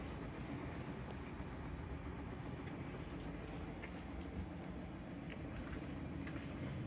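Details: Whirlpool top-load washer after tightening a loose tub pulley nut that caused loud noise when spinning, no parts replaced: low, steady hum with no knocking or banging through the spin; normal spin cycle after repair.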